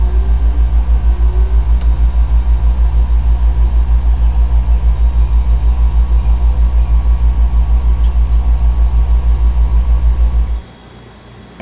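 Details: Refrigerator compressor after the faulty starting relay was replaced. Deep, even hum with a gentle steady throb of about three pulses a second, then a clean cutoff: the compressor runs smoothly.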